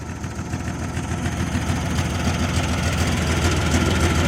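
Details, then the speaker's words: 1996 Jeep Cherokee, 131k miles: steady low idle with even chuffing pulse about three or four a second, oil pressure excellent; bad head/blown head gasket confirmed once coolant added. "all right so we got excellent oil pressure and now we find out why it was parked that is a bad head"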